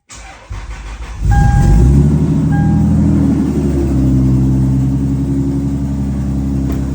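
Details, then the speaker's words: Engine starts and settles to a fast idle with a quick, fairly regular light tick, roughly four per second, described as ticking kind of bad and as loud as in person; owner points to bolts below, source unconfirmed. "I'm almost positive that that's going to be as loud as it is on the camera as it is in person. But yeah, it's ticking kind of bad."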